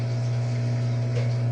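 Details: Ceiling fan after repairing twisted wire: only a low, steady motor hum with no ticking or rattling, no roulette-like reversing sound as with a faulty spring; fan runs quietly and healthy.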